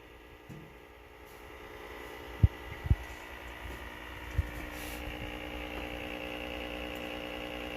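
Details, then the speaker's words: Whirlpool washer, lid closed, agitate cycle: steady low hum and buzz with a few sharp clunks and a click, but no agitation; bad lid safety switch. "you can hear her humming knocking so shut the lid no let's see I heard it click see what the heck is gonna do okay it's not one do none so much shut the lid"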